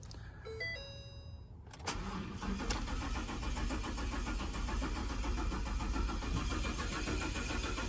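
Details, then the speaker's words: 2019 Ford F-250 6.2L V8, battery, alternator and starter tested good: chime tones, then starter churns steadily about 3.5 beats/s for six seconds without catching; long crank no start, suspected faulty fuel pump check valve, not confirmed. "See what I mean? So that's a long crank and no start."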